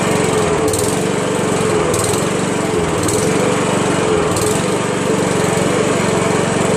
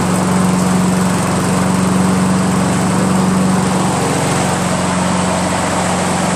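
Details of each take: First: Honda Harmony HRM215 SX self-propelled mower, GXV140 engine: steady fast single-cylinder drone with slightly uneven beat as it burns off a large amount of oil collected in the muffler, started after a day of drying. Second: Honda Harmony HRM215 SX self-propelled mower, GXV140 single-cylinder engine, cracked deck and stripped rear drive gears; holds a steady, even speed with no stumbles or misses: normal running.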